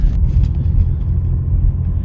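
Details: Early-2000s Pontiac Montana van with 3.4 engine, before muffler replacement: a deep, loud, even rumble with no higher pitch from a rusted-through muffler leaking exhaust.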